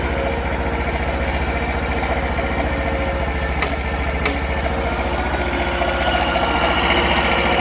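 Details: Honda Super Cub 50 FI AA04 parts bike, recall work done; quick even putter at idle, regular firing, only normal valve tick, no knocks or rattles: normal idle.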